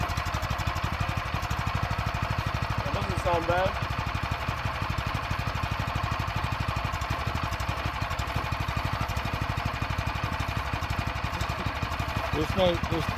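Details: Go-kart small engine being test-run; it may previously have run without oil and has compression. It gives an even, steady putter at idle with no knocking or tapping, so the engine sounds healthy.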